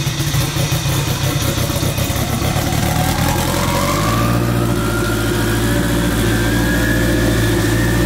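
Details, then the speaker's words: K20-swapped AWD Honda Integra with turbo kit, first start-up before dyno: loud, raspy four-cylinder settling into steady fast idle with tone rising as it warms, no knocks; loud but sounds good, normal running. "it's really not that loud it's loud but not that bad it sounds good"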